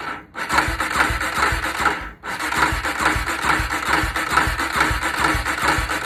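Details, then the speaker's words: Polaris Predator 500 that cut off while riding, spark confirmed, cranked on a battery pack: starter spins steadily with even compression beats about two per second but never catches; crank-no-start, cause unknown. "comment below let me know what y'all think man because i don't sound like no not trying to start and i already checked it it got sparked everything"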